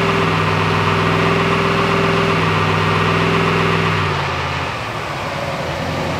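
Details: LS V8 swapped into GQ Patrol with 6L80e: lumpy idle with a regular stumble about three per second, cylinder 6 misfiring; swap test proved it was number 6 injector wiring or plug, not coil.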